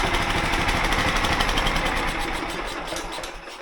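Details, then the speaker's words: John Deere mower/tractor with a replacement 16hp engine, just started: loud, even single-cylinder beat with no misses or knocking, fading as the listener walks away; voltage peaks at 13 V, showing the stator is charging. "So you can see it started right up, and I'm stepping away because it's so fucking loud, but so you can see how it goes up to 13 volts."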